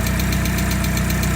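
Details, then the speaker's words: MGB with supercharger fitted, back on standard fueling after the failed airflow meter was replaced with a new one: steady even low idle, smooth pulsing rumble, no knocks or misses, normal idle. "I'm not sure, but we're back up and running. It's back to running happily with the standard fueling and the supercharger on there."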